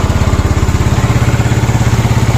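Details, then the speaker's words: Yamaha Mio Sporty scooter, single cylinder, rebuilt with a 54mm touring set and ported intake, at idle after the piston was swapped because a higher-compression setup knocked: even steady putter, no knock or tap. "Yun mga tol, nabuo na natin yung motor ko, si Panther. Yan, mas panatag na ako dito"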